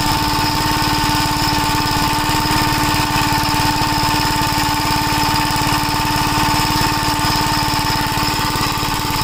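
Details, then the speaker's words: 1965 Gravely L single-cylinder engine after carburetor repair and governor linkage hookup, running before carburetor and exhaust work is finished. Steady constant-speed run with an even firing rhythm and no hunting or surging; the governor is working. "Yeah, the governor. It sounds like it's working. Yeah, it is."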